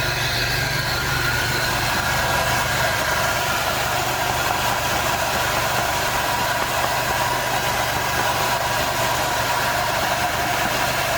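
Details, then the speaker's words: 2001 Monte Carlo 3.8L, after reinstalling ignition module and coil; stalled, stumbled and sometimes wouldn't start. Steady, stable idle with no stumble even while coil, wiring harness and battery cables are tapped; normal idle. "okay very nice start it up nice stable rpms"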